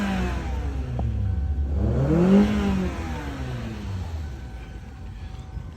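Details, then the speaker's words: 2007 Kia Sportage 2.0L that cranked but wouldn't start, now running (fuses and ECM main relay checked OK): engine catches, clean rev rises and falls smoothly, no misses; normal revving. "All right, let me start once again for us to see. The car started."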